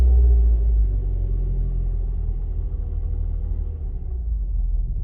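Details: Mazda 3 right after battery replacement, stationary with hood up, pedal released after revving: deep uneven rumble pulsing about four times a second, RPM very low and sagging as if to stall; idle still relearning.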